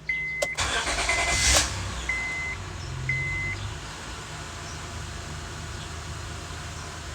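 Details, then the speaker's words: Honda Odyssey after water pump, timing belt, engine mount and timing cover replacement, serpentine belt off, battery light on: cranks, catches and settles into quiet smooth idle with warning chime, nothing sounds weird; normal start and idle. "and it's running nothing sounds weird engines running nice and smooth"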